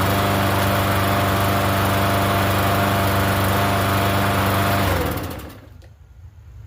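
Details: Free Yard Machines 21-inch self-propelled mower, not run in over a year, primed and started on gas: steady, even drone for about five seconds, then winds down and stops; runs fine while running.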